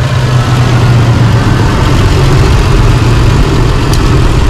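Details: 2005 Holden Rodeo 3.5L V6 idling with an uneven, lumpy throb; the misfire comes from one failed ignition coil, and all six spark plugs are to be replaced.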